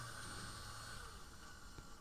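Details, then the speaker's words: Small motor switched by a TIP120 transistor from an Arduino with a separate power supply: a quiet, steady high whir with a faint low hum that holds even, then tails off; it runs normally. "great so it seems to be working as expected and that's the basics of how the transistor works"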